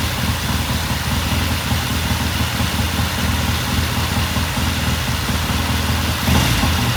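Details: 1969 Triumph TR6 twin, warm idle after cold start; pilot air screw turned in half a turn to richen starting after pilot jet cleaned. Steady, low, even idle holding speed without stumbles or surging; sounds good, normal warm idle.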